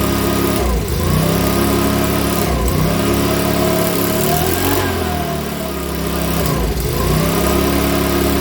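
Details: Makita BHX2500 four-stroke leaf blower, after valve clearance and timing check, NGK plug checked, airbox off: surges up and sags back about every two seconds; hunting idle, rough running, owner reckons it needs a new carburettor.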